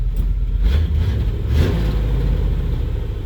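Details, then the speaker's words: 1989 R30 crew cab square body truck, warmed up after fuel tank cleaning and a 150-micron pre-filter: a deep rumble held up in a brief rev to clear stuff out. No ticks. "yeah it's clearing that stuff out it'll get out there we go ticks no Runner no nothing like it"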